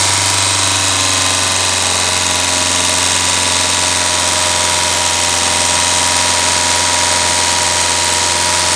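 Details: Ford Figo Aspire engine at idle: steady deep hum under busy, uneven high-pitched tapping about three or four times a second; ticking noise, source not pinned down.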